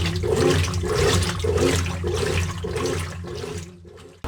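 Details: Brastemp Active 11 kg top-loader washer after the repair: steady water swishing in even strokes under a low motor hum. The earlier noise came during washing, not spinning, and was fixed with a spin kit. Normal wash agitation, no knocking or grinding.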